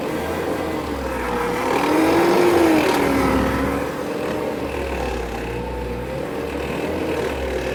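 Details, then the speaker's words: Wrecked 1999 GMC Sonoma parts truck, fender and door removed, engine revved while floating gears into third and fourth: smooth clean revs, no knocks or rattles; motor healthy. "The motor sounds good. Oh yeah, we're ready to take this thing apart now."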